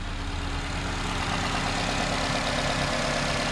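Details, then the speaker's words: 2009 Nissan Versa 1.8L SL after replacing the cylinder 4 coil pack that caused a misfire (P0300, P0340): steady, even cold high idle with no stumble or shake, all four cylinders firing cleanly; no longer missing. "it seems to be not missing anymore. Idle's high right now because the car's still cold."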